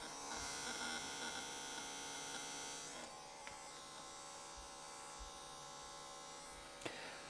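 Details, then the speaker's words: ZK-PW500 500 W DC boost converter at 4–6 A output: thin, high electrical buzz with steady whining tones that fade partway; loud buzzing under heavy load, likely the inductor. "như bạn có thể thấy 4 ampe 6 ampe nó kêu vo ve rất nhiều 6 ampe nó vo ve rất nhiều"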